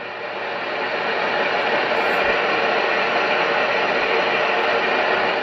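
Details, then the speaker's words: Cobra 148 GTL CB radio after removing incorrect mods: quiet, even hiss on sideband receive, one channel off frequency; former high-pitched whistle and tea-kettle noise floor gone, where before volume could only go a quarter up. "so we have a nice quiet receive now"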